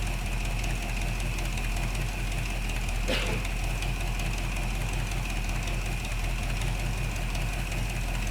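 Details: 1975 Chevy C10 V8 after intake work, started and timed, oil not yet changed: deep, steady idle with even low rumble, no misses or knocks; runs smoothly, minor plug weep noted.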